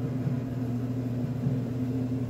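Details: Maytag Neptune gas dryer on quick dry after gas valve solenoid repair fixed reignition: steady, even low hum with no knocking, squeal or scraping; normal.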